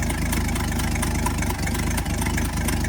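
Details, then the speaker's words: 1964 Chevrolet C60 grain truck, inline 292 six, idling before the drive home: low, loping idle with an occasional stumble every second or so; slight misfire at idle, owner says it doesn't sound too bad. "I can very easily come out of it though by the time we get home. A little miss there. But it doesn't sound too bad."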